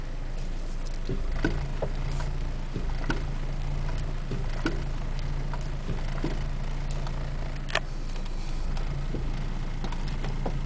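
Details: Acura RSX Type-S driving: scattered dull knocks over steady engine and road drone, irregular with bumps, front driver-side suspension clunk from a suspected loose part.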